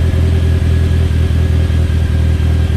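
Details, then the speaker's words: Mitsubishi Talon on E85, started at about 52°F after sitting two months, started harder than expected: strong, even low drone with steady firing pulses and a small rise in revs, no knocks or misses; sounds healthy. "It's nice to hear it again, though. It's been too long."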